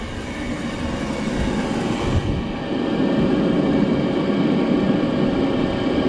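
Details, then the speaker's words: 2006 Jeep Grand Cherokee after thermostat replacement and radiator flush for heating issues: steady even engine rumble with no knocks or ticks; runs normally, sounds better than before. "good sounds better than I did before"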